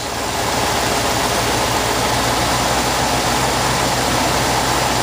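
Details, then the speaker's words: 1966 Ford Thunderbird V8 after carburetor work with choke and its linkage removed, warmed up: smooth, steady idle around 800 rpm with no hunting or surging; normal idle, later set to 750. "all right she's hovering around 800 RPM that's not bad at all I can adjust it from here I'm real happy with that"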